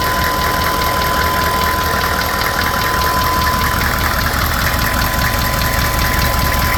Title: knocking noise.